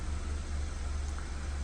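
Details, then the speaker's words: BMW 320i after repair (engine removed and reinstalled), fault codes cleared, at idle: low, steady hum with no squeal, knock or hunting; runs well without noise, normal idle. "É isso aí gurizada sem códigos de erro aí na BMW olha assim apagou todos os códigos ela tá bonita né funciona bem sem barulho"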